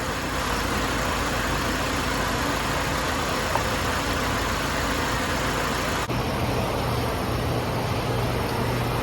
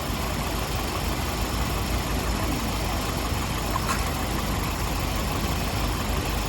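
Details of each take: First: 1998 Toyota Corolla 1.8: even, steady idle with no stumble or missing beats; misfire gone. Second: 1998 Toyota Corolla 1.8 at idle: rough, uneven idle with dull irregular stumble, missing on number one cylinder; misfire moved with spark plug, oil in cylinders from leaking valve covers fouling plug.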